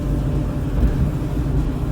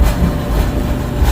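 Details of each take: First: Dryer about 15–20 years old after the drive-system repair (idler pulley removed), run empty so the heating element comes on: a low, even drum rumble with no squeal; it sounds normal. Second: Dryer run after repairing a high-RPM screech in the drive system: a steady low droning rumble with a buzzy edge; suspected sheet-metal structural vibration, probably near the heating element, possibly the exhaust line; not confirmed.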